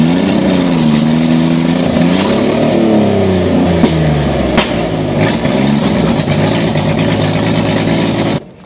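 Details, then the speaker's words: Car with bigger injectors (5 lb/hr more fuel), still needing a tune; hard acceleration, engine revs with wavering uneven note surging and dipping, owner says he beat up the transmission, cause unclear. "I just beat the crap out of my transmission."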